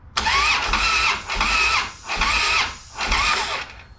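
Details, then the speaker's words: 2007 Harley-Davidson Street Glide with hard-starting complaint, during compression test (140 front, 120 other): starter turns in four sluggish, sagging bursts without firing; slow cranking from a weak battery. "yeah we're about out of battery um 100 20 on that one but we've also got a weird real weak battery now so"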